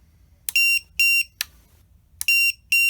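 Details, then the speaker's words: MJX Bugs 3 drone with added lost-model beeper, Jumper T8SG transmitter link lost: loud high-pitched paired beeps repeating steadily in a quiet room, alarm sounding so the drone can be found. "Say we fly this away from ourselves, we lose connection to the jumper. It's just going to sound off in the field."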